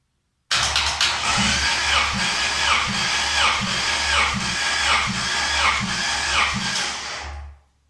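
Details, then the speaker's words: Honda H22 engine, compression test on cylinder 1 via starter solenoid: steady, even chuff about every half second, reading 212; normal compression cranking. "Number 1. 212. By the looks of it. Cylinder 1 worked out nicely."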